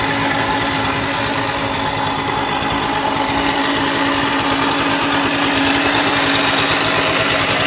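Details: RV 50 small two-stroke running steady and even, with a thin tinny metallic rattle over the whole run. Metallic engine rattle of unknown source; owner asks why it sounds tinny.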